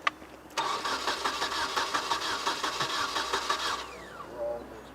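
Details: 1996 Nissan 2.4 cranking no-start with no spark: starter churns steadily about three seconds but engine never catches; ignition coil found bad.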